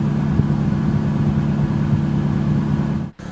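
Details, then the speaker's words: 1998 Toyota Celica GT 2.2L 5SFE after replacing alternator/AC drive belt with a Bando belt: engine at start settles to steady even low hum, no chirp or squeal; squeak previously heard at start is gone. "it looks like we fixed the issue because previously you could hear it right away right as you start the car and now i don't hear any squeaking so that fixed the issue"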